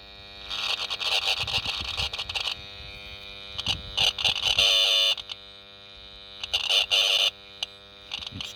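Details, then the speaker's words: 1978 Honda XL250 barn find from America, ignition on, power seen dipping: horn pressed gives faint, strained bursts of buzz never reaching a full note, "it's trying, it's buzzing"; weak horn, cause not confirmed. "trying. It's buzzing."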